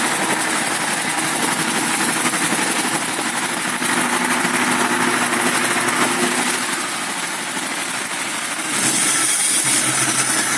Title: 1965 mustang 2150 carb rough idle